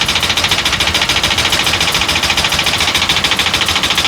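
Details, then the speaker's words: 2013 Ford E450 with the 6.8 V10, misfires detected on cylinders 1, 6 and 10, long crank: loud, regular metallic rattle about 3.5 per second at idle; suspected exhaust valve sticking closed, unconfirmed. "el ruido de este motor pueden escuchar parece matraca cuando se queda cerrada Ah se queda cerrada la válvula de Misión"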